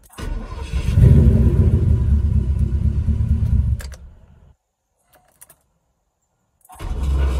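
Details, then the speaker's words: 1984 Porsche 928 cranking: a heavy, rough growl and grind for about three seconds, repeating on the next try. The starter misbehaving is suspected, not confirmed. "There, that's the noise right there. Hear that growling, grinding noise? That's the one."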